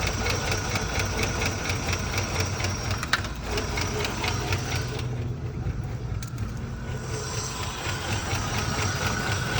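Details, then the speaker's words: 1980 Rover SD1 V8, revived after about 18 years, throttle turned up a little, alternator not charging: an uneven, stumbling idle with irregular beats and dips. Owner suspects fuel delivery or too little air, not ignition. "It does idle like that, but man, does it idle bad. But it is idling with the throttle turned up a little bit."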